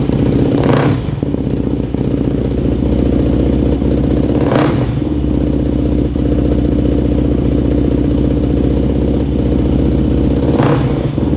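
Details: Yamaha YFZ450 single-cylinder quad after engine rebuild and carburetor mid-body rejetting (new main, pilot, leak, starter jets): steady, crisp idle with quick throttle blips that rise and settle cleanly, sounding dialed in; normal idle.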